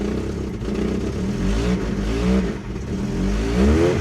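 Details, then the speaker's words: Ford Taunus Cortina fastback coupe, first start after 40 years parked, 40-year-old fuel, pumping accelerator: engine catches and runs with uneven throttle blips, pitch rising and falling; running on its own, exhaust a bit leaky. "Keep pumping the accelerator. Yes! She's a runner."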